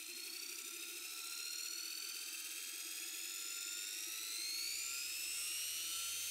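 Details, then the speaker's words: Beko WM5100W washing machine brushed motor, bench-run on a variac under no load after its commutator was skimmed on a lathe and finished with emery paper: smooth high whine rising with voltage, no rattle or scraping; only slight arcing. "so when i brought the voltage right up there under no load we're getting a tiny bit of arcing but compared to some motors i've seen almost nothing"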